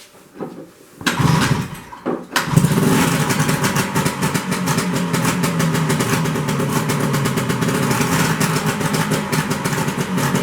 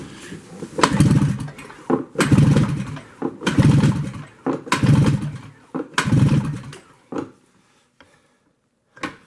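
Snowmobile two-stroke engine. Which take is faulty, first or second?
first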